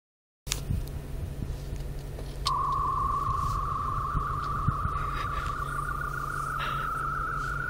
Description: The FM Transmitter in my car was having a funky time with my friend's iPod as she charged it